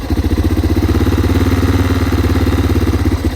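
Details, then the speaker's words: 2021 Yamaha TT-R230 dirt bike warming up, high idle turned down to the sweet spot: crisp, even single-cylinder thumping at a steady fast idle with no stumbles; normal idle. "That's good. That's about how you want it to be. You don't want it to be super hot or super high RPM."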